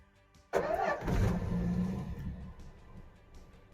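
Starter churns briefly, engine catches and flares to a fast idle, then the revs ease down smoothly; a healthy cold start.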